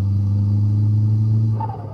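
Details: Skoda Octavia RS big-turbo 1.8T with Greddy Type-S blow-off valve: steady low engine drone, then brief fluttering chatter on lift-off between gear changes and light throttle instead of venting; compressor surge, valve adjustment made no difference, broken vacuum hoses leave it without vacuum signal.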